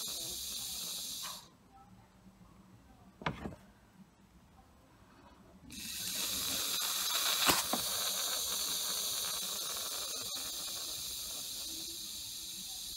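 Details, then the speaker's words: Boost leak test by blowing into the pipe with a leak-detection tool: a steady high hiss of escaping air, stopping and restarting with each blow. The car wasn't reaching full boost. "so all I'm going to do is I'm gonna blow in the end here and you're going to hear the Bruce Lake on the other side"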